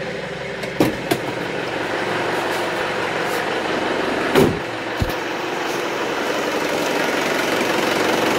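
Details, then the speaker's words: Isuzu Panther diesel after replacing the dirty fuel filter that caused stuttering and stalling: fuel filter primed by repeated cranking and revving, now a quiet, even, healthy idle. "Sudah normal kembali, Mbah. Yang jelas ini sudah penuh pasti filter solarnya."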